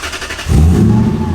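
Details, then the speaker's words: Lexus LS400 1UZ V8, first start after a new exhaust piece was welded on to cure excessive loudness: a smooth, deep, moderate rumble with no rasp, drone or leak puffs. Exhaust now sounds proper. "Wow. It sounds like my old SC now. It's giving me this. That sounds proper."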